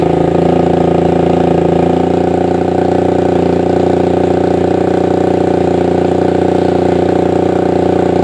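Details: Suzuki Satria FU 150 single-cylinder: a steady, even engine note holding one pitch with no misses, knocks or rattles; it runs clean and healthy.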